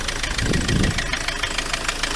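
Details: Ford Transit MK7 2.4 RWD diesel van at idle: sharp regular knocking ticks over a rough idle, no throttle change; injectors look newish, one connector cable-tied; owner suspects the dual mass flywheel, source not yet found.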